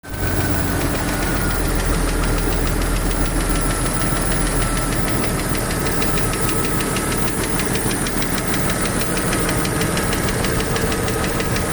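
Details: Jeep YJ 4.0 six-cylinder petrol engine idling with a light, fast tick through its steady hum; owner doubts it is a lifter, cause unknown.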